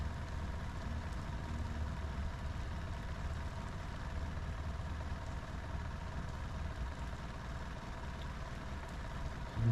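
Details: Sea Ray boat engine after broken fuel line repair, all four cylinders dropping evenly, idling low. Steady low rumble with a slightly uneven beat. Active IAC fault; circuit good, idle air control valve failed.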